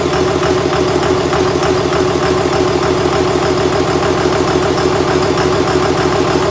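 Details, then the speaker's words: 2001 Cummins dually pickup diesel, rebuilt after its original 53 block cracked at about 240k miles: 56 block with fresh rings, gaskets and bearings, 53 rotating assembly, 50hp VCO injectors. First start after the rebuild, at idle. Steady, even clatter with no knocks or misses; normal healthy idle. "well as you heard I got the engine running uh here's the evening about eight o'clock really pleased with how it sounds"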